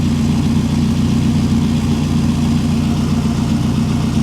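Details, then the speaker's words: 1989 Nissan D21 Hardbody Z24 bought from Copart, which earlier was spitting and sputtering: even, steady idle hum with no misses, stumbles or knocks; now running smoothly. "running like a top it runs absolutely great"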